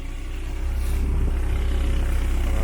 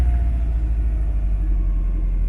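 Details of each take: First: 1972 VW Beetle with rebuilt 1997 Subaru EJ25 DOHC flat-four; deep even burble, owner says it sounds like a super V8, no knocks or ticks, healthy fresh rebuild running smoothly. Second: Subaru EJ25 engine swapped into a VW Beetle, Volvo turbo Bosch fuel pump, just warmed up: deep even quiet rumble, idling a little low, roughly 700 to 1000 rpm; owner suspects a vacuum leak.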